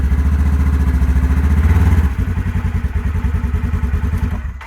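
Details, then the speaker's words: Polaris General XP4, 500 miles, after replacing exploded CVT belt: steady low thumping at low revs easing off, no belt slap unlike before repair; clutch engages cleanly at low rpm, new belt needs break-in. "And that is a good sign. It's kicking in on low RPMs and I don't hear anything."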